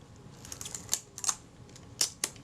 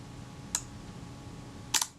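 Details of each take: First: Kodak Retina IB type 019-II after servicing and reassembly with the top refitted: crisp, clean shutter clicks and advance snaps with no drag, buzz or hesitation; shutter and advance work normally. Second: Kodak Retina IB type 019-II, shutter release pressed gently: a soft early click releases the film advance alone, then a separate sharper shutter snap over a second later; out of sync.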